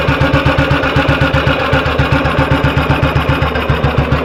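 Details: 1958 BSA C12 single on a road test after its misfire was fixed: a crisp, even thump at a steady pace with no skipped beats. It is firing cleanly and sounds like it used to.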